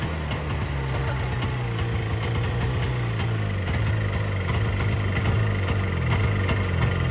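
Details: 1970 Subaru Sambar pickup off the road 40 years, after loosening distributor to advance timing: steady, even low putter at idle with no knocks or misses; the engine runs cleanly on its own.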